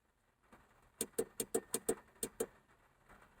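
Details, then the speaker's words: VW Beetle during complete rewire: eight sharp dry clicks in a short, slightly uneven burst over quiet background, the main beam headlight relay switching normally. "You hear that? That's the relay for the main beam."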